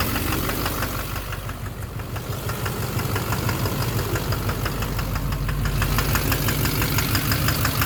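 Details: 2009 Chevrolet Duramax LMM dually, idling in drive with the e-brake on, camper loaded: sharp, even knock about three times a second persists with injector 3 unplugged; owner suspects a failed injector.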